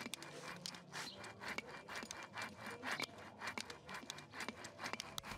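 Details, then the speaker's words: Dry, worn front wheel bearing spun by hand, no lubrication or grease left inside: rough, gritty metal-on-metal scraping in quick uneven strokes with a thin squeal. "si alcanzan a escuchar cuando yo estoy girando El balero se escucha ese raspado que les mencionaba anteriormente se escucha ese chillido o que Rosa metal con metal aquí ya no hay lubricación dentro de nuestros baleros"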